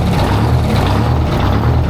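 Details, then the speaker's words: 1973 Freightliner cabover with a straight-piped Detroit 8V71 two-stroke diesel, after installing a rebuilt blower: catches quickly and runs with a heavy, even bark; restarted healthy, possibly slight haze remaining on the right side. "See how it fires back up. Beautiful."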